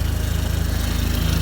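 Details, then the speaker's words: 2004 Dodge SRT-4 petrol engine idling after a crank-no-start was fixed with an auxiliary battery-to-starter power wire past corroded wiring, check engine light on; steady low rumble with even firing pulses and no misses or knocks: normal idle. "how about now yo is running come get it srt4 is back together we're running and check engine light but"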